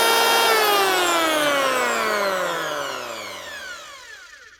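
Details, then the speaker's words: 2006 Makita 1923H 110 V corded planer after all bearings replaced to cure squealing: motor spins down with a clean, smoothly falling hum, no rattle or grind; bearings healthy. "Nice one. That's another old tool ready for work again."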